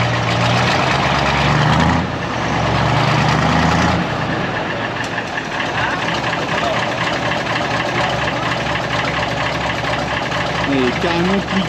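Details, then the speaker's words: Deutz V8 diesel truck at a diesel specialist, while the injection timing is being adjusted: a steady, even idle, and the earlier pap-pap-pap knock seems gone. "et là ça y est, il a démarré. Ils son en train de toucher un peu à l'avance. et j'ai l'impression qu'il n'y a plus ce bruit pap, pap, pap."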